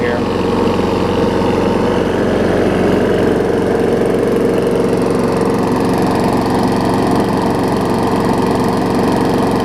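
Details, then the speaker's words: Weed Eater 300 series Briggs & Stratton mower engine transplanted onto a Murray deck with a 21-inch blade, clean air filter and oil: steady, even single-cylinder chug at constant speed with no misses or knocks, pretty quiet, a little smoke burning off; healthy. "Good, and it's pretty quiet, and the deck is almost brand new, so that'll give somebody a good one"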